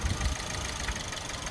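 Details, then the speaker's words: Suzuki Swift, hot: quiet uneven idle with irregular low thumps, rev hunting and misfiring; a suspect part, possibly EGR-type emissions part, makes a noise and it cuts the engine. "that's obviously making a noise that it shouldn't then it's also seems to be the reason it's rev hunting and stuff like that"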